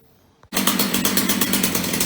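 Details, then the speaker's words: Roadside Ross chainsaw after repair starts after 2-3 pulls and holds a steady, even high buzz with no stumbling. Normal running, though bar oil is not reaching the chain and runs out underneath. "Started after 2-3 pulls. Runs like a champ."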